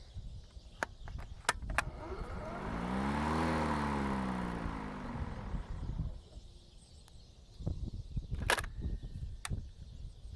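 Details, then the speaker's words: DeWalt Gen 2 cordless mower (DCMWP233U2), which revs up when it senses thicker grass and otherwise runs slower. Motor hum climbs in pitch for a couple of seconds, then dies. Owner suspects motor strain; cause unconfirmed. "So occasionally it will rev up and immediately die. I don't know if there's like some sort of strain on the motor and that's why it won't."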